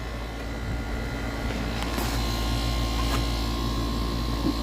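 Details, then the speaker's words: New A2L-refrigerant AC outdoor unit running after install: steady even hum with a few light clicks, cooling and behaving like 410A; normal operation. "yeah, it's definitely cooling, you know, it's acting like 410A."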